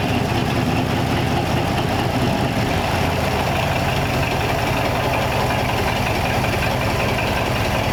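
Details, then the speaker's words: 1934 Ford 5-window after swapping in a replacement gas tank: smooth even idle, low steady thrum, no knocks, misses or surging, surprisingly quiet; normal idle. "sweet nothing else sounds like a flight hit i know it's quiet it quieted up you know you i can't believe how quiet the engine is in this thing after we got it going"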